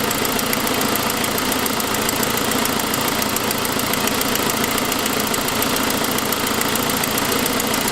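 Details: 2006 Saab 9-5, noise that followed an earlier louder turbo noise: fast, even ticking at about 3.5 per second over a steady idle, caused by an exhaust leak from a broken forwardmost exhaust manifold stud, not lifters.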